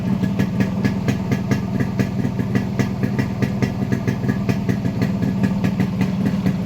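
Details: Yamaha RX100 two-stroke fitted with an Indonesian RX King CDI unit (rev limit about 14000 rpm versus 7000 for the Indian unit): steady, even popping beat with regular pulses, no misses or rattles; runs cleanly.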